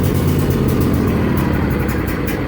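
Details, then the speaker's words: Riding lawn mower started with choke on, throttle all the way up and brake fully engaged: steady, even engine drone with no misses or knocks; normal running on choke. "first time again I like to put on the choke and put the throttle all the way up then I can turn over the motor"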